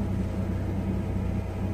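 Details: Low, steady idle rumble with no ticking, knocking or misses from a Chevy Blazer/GMC Jimmy 4.3 V6 after head gasket replacement; oil pressure 45–50 psi, temperature around 150, charging 14 volts; normal idle.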